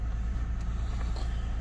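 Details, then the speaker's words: 2008 Lexus ES350 with code P0304, warmed up and revved to about 2000 rpm: low, lumpy, uneven rumble from a cylinder 4 misfire that persisted after swapping coil packs; cause was a rat-chewed number 4 injector connector. "i'm feeling a vibration that i was feeling before so i'm guessing it's gonna be the number four plug but let's see"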